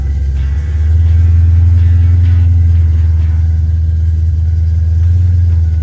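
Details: Fox-body Mustang after swapping in a spare distributor and TFI module: engine catches and holds a heavy, stumbling rumble with an irregular beat as it revs. Misfire traced to a faulty distributor; the spare was also bad.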